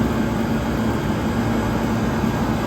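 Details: 1978 Comfort-Aire Quietmaster 29,000 BTU air conditioner running on high, not yet cleaned, blowing ice cold; steady even rush of air over a constant low hum from the smooth condenser fan, no knocks or rattles; normal operation.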